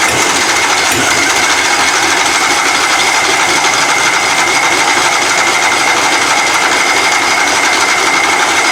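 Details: Puller engine "Plan B" after head gasket replacement and timing adjustment, first run of the season: fast, even, high-pitched clatter with no misses. The gasket seems sealed and the carburettor still needs tweaking.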